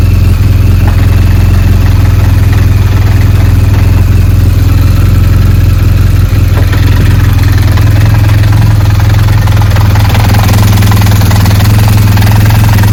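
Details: BMW R1200GS boxer motorcycle at idle: deep, loud idle with a rough, uneven rattle over the low beat; gearbox (transmission) noise.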